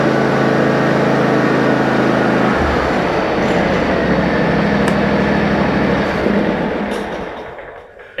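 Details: John Deere riding mower started after its solenoid was replaced: the single-cylinder engine catches quickly and settles into an even, steady run with no misfire or surging; normal start and run.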